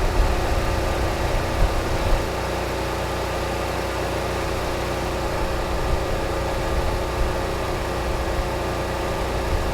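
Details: Repaired Generac 20 kW standby generator (model 0058871) that had stopped making power, under a 6,000 W load: an even, steady engine drone, no surging; holds 120 V, 60 Hz; normal under load.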